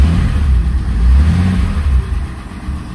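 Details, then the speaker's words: 1963 Mercedes W111 220SEb cabriolet during restoration: low rumble rising and sagging unevenly instead of holding a steady beat; owner suspects overfueling and too little air, earlier missing; rough idle. "it's better oh not just not idling quite right I have a feeling we just need to let a bit more air in"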